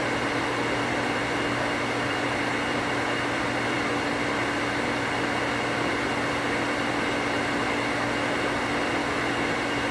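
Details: Well pump on 240 V after rewiring to a new pressure switch that cuts off about 10 psi higher; contacts activate near 45 psi. Steady even motor hum with constant hiss, no chatter or short cycling from the switch. Pump running normally.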